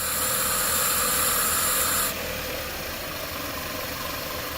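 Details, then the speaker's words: Toyota Camry 4-cylinder after fixing the sticking idle air control valve: steady, even idle without surging or stalling under some hiss; valve no longer sticking, normal idle. "well this vehicle is fixed pretty much and i just got to put that one back and seems like decidedly fine it's not sticking anymore the ball"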